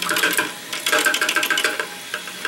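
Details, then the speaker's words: Toilet fill valve reassembled without replacing its rubber gasket, water turned on: over the rush of refilling water come short, high whistling chirps that start and stop; the valve is singing again. Worn gasket suspected, not confirmed. "Now, did you hear it? It's already starting to make that noise."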